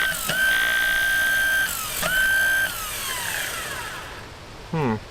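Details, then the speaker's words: 1959 Dodge D-300 farm truck, newly rebuilt starter bench-tested on jumper cables: high steady whine keeps spinning with no cutoff, then coasts down; the new solenoid's internals were bad and the old solenoid's guts were swapped in as the fix. "that's weird very it's not kicking itself out you know that was a 300 and some odd dollar starter and the guts of that solenoid were bad"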